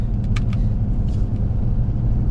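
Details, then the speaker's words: 1999 third-gen Toyota 4Runner, 3.4 V6, on a road drive right after a tune-up: an even, smooth engine rumble under road noise with no stumbling. Acceleration is improved over the earlier jumpiness. A separate floorboard noise is the blower motor. Smooth running. "she's already running a lot smoother I'm just going to go down the road a little ways and turn around and come back"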